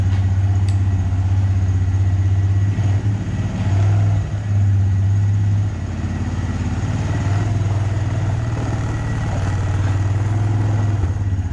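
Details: Abandoned Honda Recon ATV, back together for a test ride: single cylinder settles into a steady, even thump about four beats a second, no misses or knocks; runs clean, surprisingly good.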